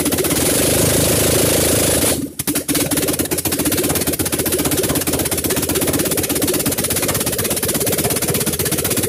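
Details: Carbureted Mitsubishi Lancer after a poorly done overhaul, under test: engine cuts out, then restarts and settles into a steady idle with light, even patter, holding without stalling.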